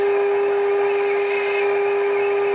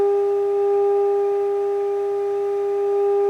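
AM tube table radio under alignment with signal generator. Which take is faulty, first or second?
first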